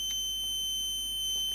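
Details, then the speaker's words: Graphics card powered up on the bench for thermal-camera fault-finding: a loud, unbroken high-pitched alarm beep at one pitch; the speaker suspects a problem with the 12 V supply, and thermal camera shows the card staying cold. "oh that makes a very loud noise okay that has some problem with the supply so that's not well"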